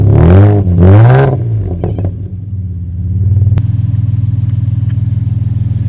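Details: 1975 Toyota Crown MS85 with swapped 2JZ-GE, first start after fuel system work, fuel pressure 42 psi; two quick clean revs then an even, steady idle with no knocks, good oil pressure, no overheating, runs well.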